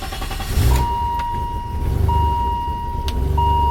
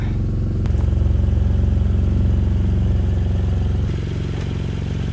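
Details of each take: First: Engine runs with an even low rumble and a repeating high chime over it, with no stumbling or misfire. This is after the plugs were checked and a sketchy-looking part, thought to be the culprit, was dealt with: normal running. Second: BMW E92 335i, N54 engine, 6-speed manual, started after two to three years of storage with rats living in it: a loud, uneven low rumble with a lumpy beat around three per second. Rough running, cause unconfirmed.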